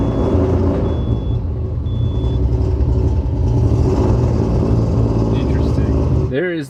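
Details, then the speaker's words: Rebuilt 20B three-rotor RX-7 engine: loud, uneven idle with irregular stumbling pulses before it cuts out; running super lean in spots, possibly a fuel injector sticking closed or the wiring harness, cause unconfirmed. "oops she's running like super lean some spots you saw that happiness as I give it a little bit of a rev"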